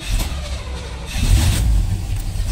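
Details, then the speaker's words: 1978 Chevrolet K5 Blazer with a recently fitted electric choke, cold start; owner suspected a stuck choke and rich running in the cold. Uneven surging low rumble as it catches and struggles to settle. Near-flooded cold start. "I almost flooded there a bit"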